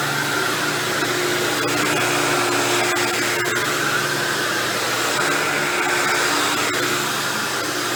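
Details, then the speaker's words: Dirt Devil Deluxe 8201 upright vacuum running with fresh new belt: steady motor roar with rough, gritty grinding underneath, confirmed from the brushroll, not the motor. "you hear that grinding noise you're hearing I'm lying down is actually just the brushroll"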